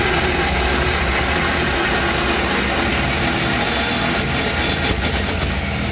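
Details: Toyota Tundra with aftermarket cat-back exhaust: cut stock muffler, sketchy-welded aftermarket muffler, resonator delete. Loud raspy exhaust with heavy booming low note filling the cab, nonstop drone; before restoring factory parts.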